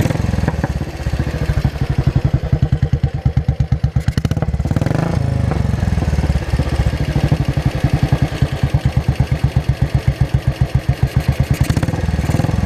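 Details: 2003 Royal Enfield 500 iron-barrel with new performance carburetor replacing stock, cracked intake rubber replaced, Gold Star muffler: catches and settles into even solid thump idle with crisp regular exhaust beats; normal idle.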